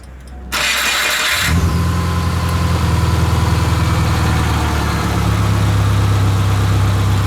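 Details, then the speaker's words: 1999 Subaru Forester, engine near 200K miles and car over 310,000 miles, first start after an oil change that left it overfilled; the oil light showed briefly: short crank catches quickly and settles to a steady, even idle with no knocks; normal. "Oil pressure light came on for a second, but it went away after it filled the filter. Runs pretty good."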